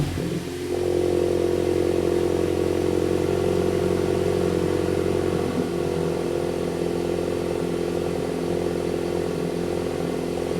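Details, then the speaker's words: MK8 VW GTI first start right after installing AWE Touring exhaust, before break-in: quick crank then smooth, steady idle with mild even exhaust drone; pretty tame, normal idle. "overall guys, this is pretty tame at least right now, but I'm not gonna judge this yet."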